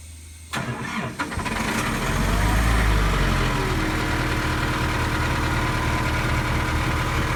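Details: Airman PDS185S screw compressor with a Nissan diesel engine, after a full service with oil and filter changes and the diesel flow cycled; quick crank, clean catch and steady, even idle with no misses or knocks.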